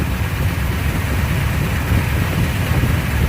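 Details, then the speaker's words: 1972 Chevy Corvette with new Bluetooth distributor, after switching back to the custom timing program from a rough, rich one: idle picks up and smooths out into a low, even, steady rumble without stumbles. "did you just hear the idol pick up i don't know if you really can hear it and it smooths out so this is really nice"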